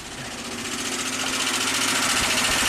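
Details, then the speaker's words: 2005 Kia Sorento 4x4 with intermittent-then-permanent crank no-start, after fitting a $100 eBay engine computer and clearing codes, not run in about a month, battery weak: engine catches and settles into a steady, even idle with fine ticking, no knocks or misses; healthy. "Let's fire this thing up. Woohoo! Victory."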